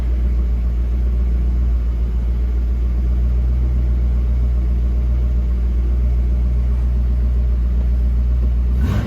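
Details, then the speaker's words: 1966 Ford Mustang convertible with carburetor, started after three gentle accelerator pumps with the choke working: a deep, even rumble holds steady in gear with no stumbles, far better than before. Normal idle. "Hit the key. That's pretty decent. That's light years above where we were, too."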